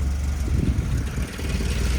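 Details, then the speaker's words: 1976 Porsche 911S with swapped Honda K24A engine, cold start after fuel pump priming: steady low, even rumble with slightly busy cold note, no knocks or misses; healthy cold idle, left to warm up. "and that's cold, so it's a little. Let it warm up for a second. It'll warm up."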